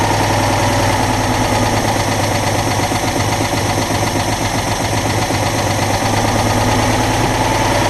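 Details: Citroën Dyane 6 twin after replacing a missing screw suspected of causing an air leak: steady, even idle of about four beats a second, no misses or hunting; idling normally, intake suction noise still heard.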